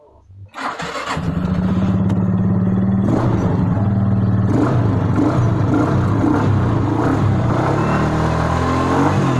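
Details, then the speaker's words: Suzuki Skydrive 125 automatic scooter with replacement battery, restarted with brake held; quiet lead-in, starter catches quickly, settles into a steady even idle with no misses; normal start and idle. "Kita coba sekali lagi, kita hidupkan kembali, kita kontak, kita rem dulu ya, karena tidak menggunakan rem tidak bisa hidup."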